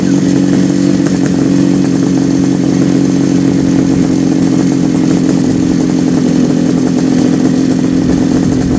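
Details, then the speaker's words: 1974 Kawasaki H2 750 two-stroke triple just restarted after 34 years: crisp even buzz holding steady pitch, no misfires or stumbles, smoking from oil put in the chambers; idling cleanly on all three cylinders, normal idle. "like a kitten. Moves like a kitten. Almost better than I thought."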